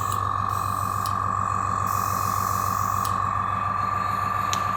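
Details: AS196 airbrush compressor after cleaning its leaking tank-feed check valve, regulator set to 30 psi with airbrush attached; steady even hum, constant mid-pitch tone, regular pulse about two per second; pumping up smoothly, normal.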